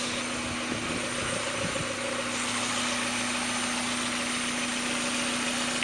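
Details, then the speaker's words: 1994 Mazda Miata M Edition, 130,000 miles, leaks oil at the rear main seal but runs well: at idle a constant low hum rides over the engine note; source unclear, owner hears it at the back of the intake side of the head. "Only thing is that there's a noise in the motor that is bugging me. Don't know exactly what it is."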